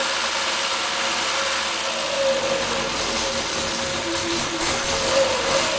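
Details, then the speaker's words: MG Midget 1500cc engine on a run-test stand with pressurized gas-can fuel feed and hose cooling through a thermostat; steady idle with faintly uneven, hissy beat, running a little rough because a leak couldn't be sealed tight enough. "So it may run just a little rough, but I'll show you that here in just a minute."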